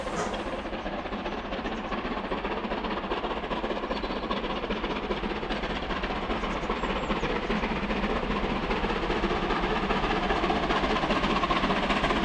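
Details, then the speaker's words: Taw Valley steam locomotive climbing Whitley Bank with the Orient Express, second valve of regulator, 50% cutoff; sharp, regular exhaust beats about 2.5 per second, working hard but sounding healthy. "we could certainly hear that the engine working hard but sounding good i mean coming up from whitney bank everyone likes that"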